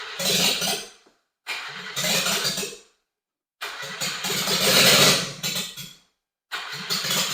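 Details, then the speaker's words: Subaru Sambar carburetor engine running without muffler, after rebuilt starter and attempted carb repair: loud bursts firing one to two seconds then stumbling and stalling repeatedly on pure fuel; carb flooding, float bowl overflowing, cause unknown. "all right so yeah that carburetor is not playing nice it's overflowing uh the float bowl and fill in the carb with too much fuel"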